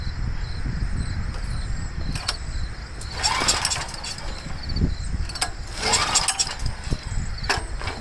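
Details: Homelite 389cc generator (Honda engine) that would not start; two rough pull-cord bursts turn it over without firing, carburetor mounted with only two nuts, gas on, choked. Fuel starvation from poor fuel flow and a clogged, dirty carburetor.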